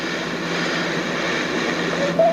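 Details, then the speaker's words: Pulser 800/44-2158-0 clock radio: tuning produces steady hiss and crackly static with no clear station; owner suspects tuner needs taking apart and cleaning; scratchy tuning. "Yeah, there's definitely something wrong with the tuning. I thought it was the volume. This is the tuner."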